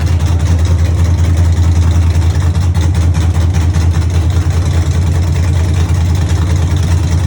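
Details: Cammed 5.3 V8 truck (Texas Speed 232/234 cam, 110 LSA) at first start after fixing ground and wiring issues; deep loping idle, strong low rumble and uneven chop. Normal cammed idle.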